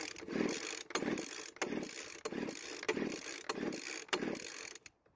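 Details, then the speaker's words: Poulan Pro blower vac engine, originally 50 psi compression after a stuck engine was freed; pull-cord compression test with engine mostly reassembled now reads almost 100 psi. Rasping pull strokes about every 0.7 s, fairly soft; low compression from stuck piston ring. "since we have the engine mostly back together i want to check the compression and see if it's gotten higher than its original reading of 50 psi"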